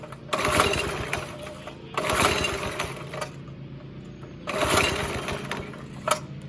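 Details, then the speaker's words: Go kart with 5.5 hp Briggs and Stratton engine after sitting about a week and a half: revs surge and sag in uneven bursts every couple of seconds, sounds restricted; throttle cable came loose and hanger came out. "It just doesn't sound right. It's definitely not sounding right. Sounds like it's like restricted somewhere."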